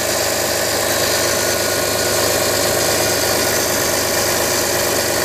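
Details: Audi A4 B6 2.5 TDI 120 kW diesel, cold-weather start: idle with a hard, uneven clatter and a thin high rasp on top; strange noise, cause not evident by ear.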